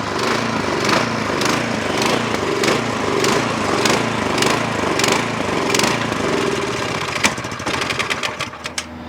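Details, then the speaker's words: Snowblower engine runs only on choke: off choke it surges in uneven pulses under two a second, then stumbles and sputters; carburetor starving it of fuel, needs to go back into the carburetor. "so off choke this thing so we got to we got to go back in this carburetor"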